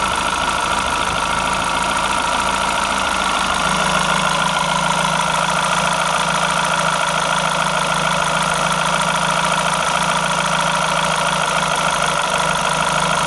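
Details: Renault F4R engine: steady idle with an uneven, faint tapping over the engine note, cause not obvious; abnormal engine noise.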